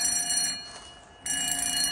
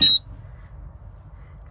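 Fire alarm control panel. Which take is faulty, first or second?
second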